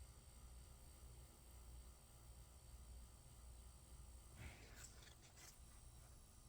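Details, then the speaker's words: Slow motor after cleaning, lubricating and oiling its noisy bearings: a low, steady, smooth hum with no rattle, scrape or wobble; running normally. "that's how lazy motor is supposed to sound now unplug it"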